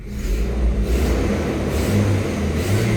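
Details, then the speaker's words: 2003 Toyota Kijang LGX, gasoline EFI engine, revved in neutral right after a quick start: rises and falls smoothly through throttle blips with no ticks or knocks. The engine sounds smooth, with no strange noises. "Nah, untuk suara mesinnya halus, tidak ada suara yang aneh-aneh."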